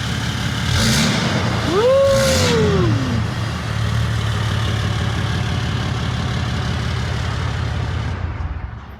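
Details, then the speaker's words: Truck conversion build with a 5.9 turbo diesel, first start once finished: starter cranks, catches with a brief rising turbo whistle and settles into a smooth, even diesel idle; flow sounds better, not too loud, healthy. "it sounds pretty dang good you can hear the turbo it sounds like the flow is going a lot better this sounds really good it's not too crazy loud it's just like a perfect nice tone"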